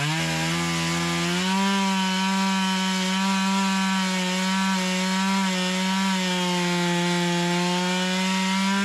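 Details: Stihl MS170 clone (Amazon 170) chainsaw after swapping to a Stihl carburetor, cutting: strong steady high whine, pitch dipping slightly under load and recovering; runs clean, less smoke than with the previous carburetor.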